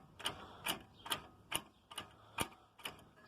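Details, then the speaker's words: JAC J3, wheel turned by hand: sharp metallic clicks about twice a second from play in the inner tripod joint (trizeta) inside the tulip, noise under traction first blamed on the stabilizer link, fixed by replacing the tripod joint. "essa pancadinha que dá por conta da folga da trizeta ali ó"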